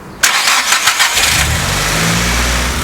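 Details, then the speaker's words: Car with completely dead battery (4.3 V) jump-started with Noco GB150 booster: about a second of quick, strong cranking, then it catches cleanly and settles to steady idle; normal, powerful start. "it sounded like the gb150 gave a more powerful sort of push for the engine to start up it just sounded like there was no problems at all sounded like a normal stter"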